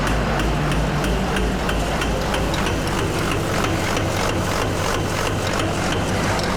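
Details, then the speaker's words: LB7 common-rail diesel with a fuel concern: heavy idle with a loud, rough, slightly uneven knock about ninety times a minute. At least one injector is hanging open, possibly more; the injectors are to be pulled for testing. "We got at least one injector stuck open, if not more."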